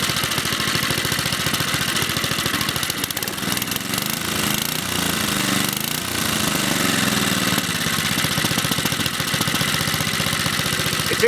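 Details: Briggs & Stratton 2 hp lawnmower engine, restarted after moving a ground wire that had vibrated against the carburetor body: fires at a fast, even beat with a rattly top end while smoke clears; it runs, though it is worn and due new rings.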